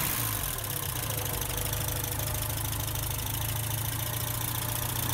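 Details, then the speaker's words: Porsche 944 Turbo, long-sitting, first start after engine reseal, new oil pan, belts and intake; boost gauge moving, alternator suspected bad: smooth, even low hum, no misses or knocks; idling well, normal idle. "Seems to be idling well. Go around here and let you guys hear it."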